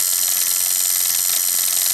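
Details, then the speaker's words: Advance Machine Co. penny arcade shocker, customer's, after clockwork oiled, clock wound by handle: steady high harsh buzz of a working vibrator switch with the timer clock ticking. "Okay, and now with the clock wound, when I let go, all right, I'm buzzing, my switch is working, and there's the clock ticking away."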